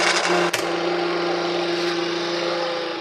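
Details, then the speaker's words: Clothes dryer (secadora) motor spinning with a steady hum and a thin, uneven, scraping whine: a worn shaft bushing in the bearing housing. Greasing the motor-to-drum shaft is one fix; a second fix is called more effective. "si el motor del secado se escucha de esta forma, créame que hay dos soluciones."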